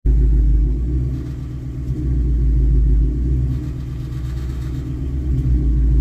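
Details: 2019 Mustang GT V8 at low rpm under light throttle from a stop or uphill; deep rumble with an uneven buzzing rattle underneath; cause was loose exhaust clamps, fixed by tightening; exhaust rattle from loose clamps.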